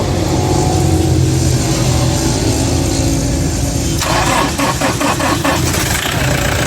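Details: Toyota Hilux Vigo diesel that had a no-start fault, scanned and repaired: fires and settles into a steady, even idle with a few throttle blips, no misses or knocks; now starts and runs fine.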